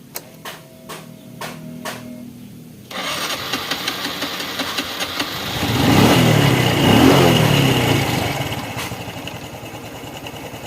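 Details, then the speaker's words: Honda Revo Fit FI motorcycle, kick-start: starter clicks, then engine catches only with wide throttle, revs hard and settles to a rough idle; compression feels very light, as if leaking, causing hard starting. "ini juga gitu ini kalau saya rasakan kompresinya benar-benar enteng kompresi kayak kompresi bocor ini tuh ya kalau saya pakai engkol nah Susah ya kalau kita engengkolnya kencang Nah ini baru bisa nyala"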